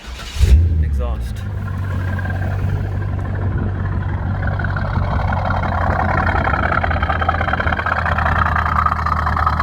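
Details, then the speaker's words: Restored C5 Corvette V8, about 20 years old, harmonic balancer fine, exhaust heard at idle: steady deep burble after the start, even pulses, no ticking, knocks or any noise; smooth, healthy idle. "it sounds pretty good when it's idling no issues the engine is smooth as silk no noise whatsoever no ticking no any sort of noise"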